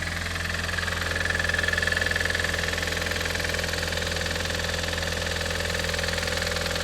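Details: Audi TT 225hp BAM engine at idle: steady, fast metallic clatter at about two beats per second. It is still present after replacing the lifters, chain tensioner and full timing. Compression reads 6.5 and 8 bar on two cylinders and 10 bar on the others. Cause undetermined.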